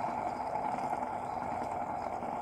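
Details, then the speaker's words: Tree milling machine head during teardown, spindle bearing spun by hand after removal: steady gritty, grainy whirring from a worn bearing, to be pressed out and replaced. "that sound like a bad bearing so we got a we're gonna press this bearing out"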